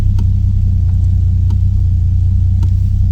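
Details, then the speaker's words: Nissan Skyline R32 GTR RB26 after R35 coil conversion (PRP bracket, new subharness), first start: deep, even low rumble with a steady beat and a few light clicks; healthy normal idle, car still slow for unknown reasons. "Time to start it. And as you can hear, we're running now. I'm not even in the car adjusting the idle."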